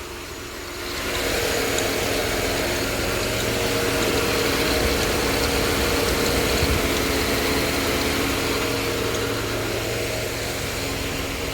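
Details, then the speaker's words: 2000 Grand Am with a rebuilt 2005 Impala 3.4L engine, first start with mass airflow sensor and airbox not yet connected. Steady, even idle with no misses, mostly buried under loud high-speed fan rush; the tensioner is bouncing and a noise is suspected from the alternator. "Seems like it's running really good."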